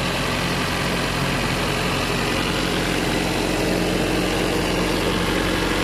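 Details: Toyota GLI 4A-FE engine, hard starting, noisy, stalls on shifting R/D and when fully warm: loud uneven idle with irregular lumpy pulse and mechanical clatter, timing sounds advanced; cam timing a tooth out.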